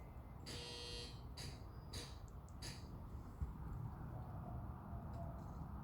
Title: Doorbell chime buzzes, more so croaks, rather than ring melodiously. Seems like chime inside is bad.